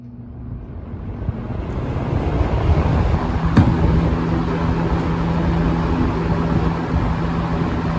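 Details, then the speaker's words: 1970s Lakewood K-Mart K-223 box fan, about 50 years old, running on high: steady smooth air whir, quiet apart from air noise, no rattles or ticks; normal operation. "Boy, she's quiet too, other than the air noise, which you want. You want a fan."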